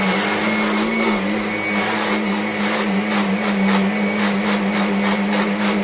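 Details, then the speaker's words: Kirby Sentria 2 vacuum, used often: steady motor roar with a rhythmic rasping catch each time the stroke reverses forward to back, suspected from the tech drive; the tech drive belt is very slack, to be replaced. "I actually use it quite often, but it's making a noise from, I think, the tech drive. I'm going to use it now. Listen when I change the direction of the stroke."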